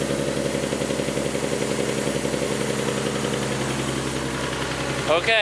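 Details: Nismo 370Z V6 idling after an oil cooler install, restarted once the leaking cooler fittings were snugged up. Smooth, even idle at constant pitch with no ticks, knocks or stumbles; no oil leaks this time.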